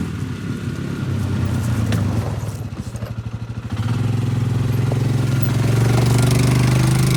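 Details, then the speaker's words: Polaris Ranger 500 4x4 after a top-end rebuild and a new carburetor needle valve, on its first short yard drive with no coolant: it chuffs unevenly at first, then settles into a steady drone with no misfires. Normal running. "Alright y'all, very successful first drive there. I literally just drove around the yard one time, let it idle for a second, and then parked it."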